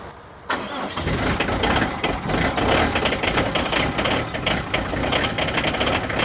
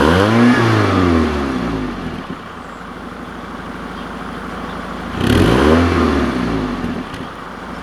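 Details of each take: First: Diesel van/truck with gearbox problem, cold damp ~3°C start after sitting: fires abruptly and settles into an uneven, lumpy cold idle, struggling to start; slight glow plug preheating problem. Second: Diesel vehicle in damp cold, about 3°C: blips up and settles to a steady, even idle around 1500 rpm, smooth clatter with no knocks or misses; normal idle as always for this car.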